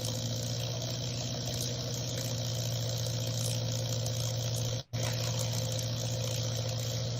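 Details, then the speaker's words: Friend's sick Taylorcraft (T-craft) light aircraft. Steady propeller-engine drone suddenly drops out for a split second, then picks back up; a later second event lets the RPM drop until throttle is added to revive it. Intermittent cut-out, cause not pinned down. "So, Brendan, when I heard it just kind of cut out in the beginning, but later it seemed like a second event and the RPM was dropping and then the throttle was brought in to bring it back to life."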